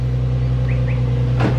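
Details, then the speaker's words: Nissan 350Z restarted after valve cover gasket replacement, some smoke from residue burning off, oil level fine: smooth, steady low idle hum with one brief click, no knocking or misfiring; normal idle. "Doesn't sound like anything's knocking, doesn't sound like anything's misfiring."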